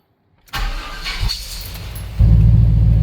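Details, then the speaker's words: Rebuilt service-truck engine after ignition timing retarded slightly: brief strong cranking, then it catches cleanly and settles into a firm, steady run, cranking better than it ever has; engine not yet at operating temperature. "That's about as good as it's ever cranked. It's always kind of hesitated a little bit. But sounds good."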